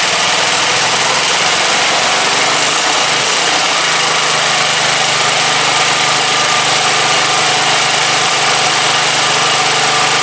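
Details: Briggs & Stratton 17.5 OHV single-cylinder lawnmower engine after new hand-cut gasket; loud steady beat at even speed, no misses, knocks or surging; starts every time on key, compression release working, runs healthy.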